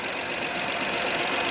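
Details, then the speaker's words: GMC step side with a 305 V6 and two-barrel carburetor, running warm with both rocker covers off: fast, even rocker-arm ticking, which is correct. No noise would mean the valves are adjusted too tight and hanging open. Normal valve train clicking. "the engine's running here how it's clicking guess what that's how it's supposed to sound if there is no noise coming from those rocker arms the valves are tighten down too much they are hanging open"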